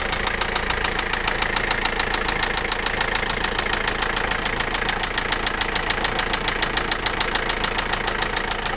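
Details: Toyota Lucida engine at idle: sharp, very regular metallic knock about 200 per minute over a smooth idle, clearly a mechanical knock.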